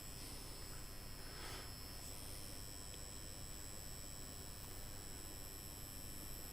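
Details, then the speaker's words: MacBook A1286 (board 820-2850) powered on for testing, no green charger light: fan ramps up hard, roaring under steady hiss with a rough gritty grinder-like edge and thin whistle; worn-out cooling fan. "That fan is wrecked. Sounds like a grinder 2 or 3 houses away."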